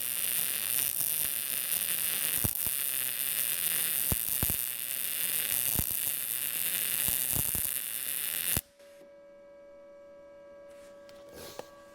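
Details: Arccaptain MIG200 inverter MIG welder at 19 V, welding vertical down on an inside corner with a push technique; about eight seconds of even frying crackle, then it stops; judged not bad and passing all tests.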